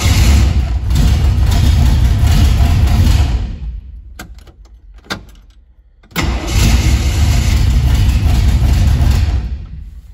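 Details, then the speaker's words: 1973 Chevrolet Vega hatchback engine cranks, fires, drops away and restarts with a brief extra grind, like the starter lingering engaged; starter hanging up suspected though starter and ignition switch are new, cause unsure. "sounds like a starter hangs up a little bit but i don't know uh that's new and the ignition switch is new so not sure"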